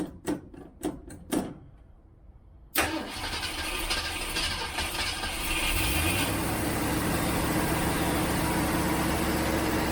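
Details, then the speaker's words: 1967 Ford Mustang first start after sitting for months, idle speed turned up: a few sputtering catches, then rough firing that only runs on accelerator-pump shots; float bowl found empty, fuel starvation. "Doesn't want to stay running. Let's look at my float level. Make sure the float level is where it ought to be and not stuck. Because it sounds like it's running off the accelerator pump shots I'm giving it and nothing else."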